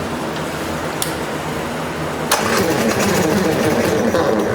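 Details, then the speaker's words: 1998 Polaris 400 liquid-cooled two-stroke 4x4 ATV, first run, no air filter, choke off: catches and runs with a ragged, rattly chatter. Acorns and debris came out from under the belt cover, possibly a mouse nest. "I don't know if something fell down in there and it got caught up in the belt, but that did not sound good at all."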